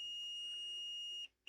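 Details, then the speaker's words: Electronics repair, multimeter continuity test on a second encoder line: steady high beep, briefly broken then resumed; this line is also shorted to ground, encoder has failed and needs replacing. "No, that one's No, that one's short as well."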